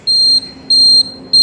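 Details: Hero Splendor Xtec indicator buzzer, replaced with a local-quality part, gives a loud, clear beep of about 0.3 s repeating every 0.6 s; the owner notes the other side sounds low and fears it will fail again.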